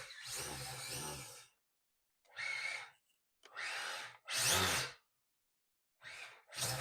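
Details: XC ESC E Series brushless motor and ESC in a Team Durango touring car on a 2S 6200 battery, recording live data at low speed: short, smooth whirring bursts with quiet gaps, no grinding or stutter; normal running.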